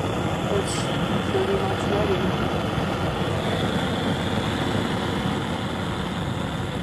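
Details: Antique white-gas liquid-fuel blowtorch, restored, fully preheated after yellow liquid flare-ups ended: constant, even hissing roar, no sputter or popping; burning cleanly, normal steady burner roar.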